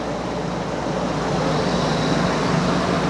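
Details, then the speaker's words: Nissan Z32 at idle on the hoist during a leak check: loud constant whooshing engine cooling fan that stays loud well after start-up, though it eventually calms down. "It's running, as Forrest Gump would say. The engine cooling fan's a bit enthusiastic."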